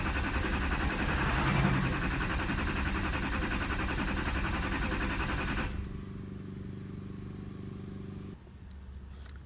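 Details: 2008 Chevrolet Duramax LMM diesel, 224k miles, after shop replaced oil pump, water pump, fuel filter and housing, sat almost a year: starter spins engine at even beat, never fires; crank no-start, cause unknown.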